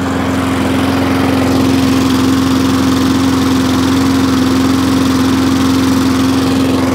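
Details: Wolf lawn mower a repair shop failed to fix, fuel cap removed: small engine at steady high buzzing speed with a slightly uneven beat; owner suspects the fuel cap, cause unconfirmed.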